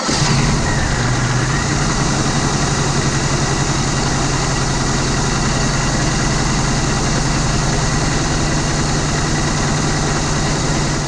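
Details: 2003 Grand Prix GTP M90 supercharger after replacing its noisy coupler and refilling with GM supercharger oil: steady, even idle with a smooth low hum and no whine or rattle from the blower. Normal idle.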